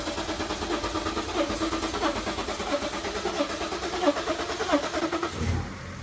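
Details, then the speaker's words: 2013 BMW X5d diesel, reportedly severe knock, after replacing a bad injector, coding and priming fuel: long crank, catches and runs evenly with no knocking; muffler delete, loud exhaust. "Sounds pretty good. I don't hear any knocking, so that's good."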